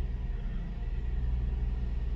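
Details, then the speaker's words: Mercedes SLK 350 R171 petrol engine idling after replacing the faulty ignition coil that caused a misfire. Smooth start and low, even idle with no stumble, where it previously vibrated; normal idle. "a nice smooth start should i say so wait until the engine goes through its warm cycle and we'll see if that idle holds steady"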